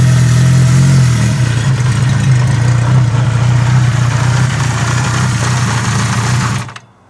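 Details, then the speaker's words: 1975 Honda CB550 with OEM parts, fired up and revved: smooth, even four-cylinder drone with a steady low beat and no knocks or rattles before it cuts off; runs really good, healthy revving. "This runs really good. Rev it up with it."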